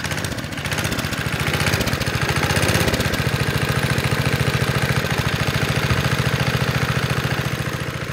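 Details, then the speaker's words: 1972 Sears Roper mini bike with a Tecumseh HS50 5 hp flathead, previously reported not idling. It now idles with an even single-cylinder thump, about three and a half beats a second, no misses or surging and no smoke; runs great. "Hey, no smoke. It runs great."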